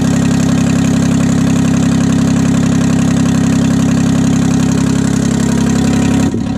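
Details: 1968 Detroit (GM) 3-53T two-stroke turbo diesel, first cold start after total overhaul, engine 4.5°C/40°F, outside -3°C; steady idle, strong low drone, crisp regular beat, no knocks or misses, stone cold, good oil pressure, no leaks; normal idle.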